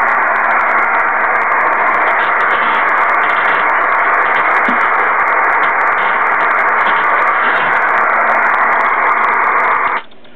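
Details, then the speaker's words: Kenwood TS-2000 HF radio on 160 meters, built-in noise eliminator off, S3 noise level: constant loud hiss with no signals, heavy band noise; persists on 12-volt battery with house mains breakers shut off. "so I'm going to turn on the speaker and let you hear the noise on this band and then we're going to go up the bands"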